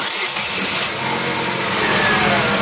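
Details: 2011 Chevrolet Aveo with the check engine light on and slightly higher fuel consumption: the engine turns over with a hissy whirring crank but doesn't catch. The camshaft position (CMP) sensor is damaged, and an LED test lamp on its signal line shows no flashes.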